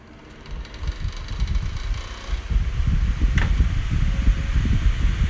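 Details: HP 9.9-inch high-velocity fan: steady drone with a rough, uneven rattle from worn cheap bearings; fan still works.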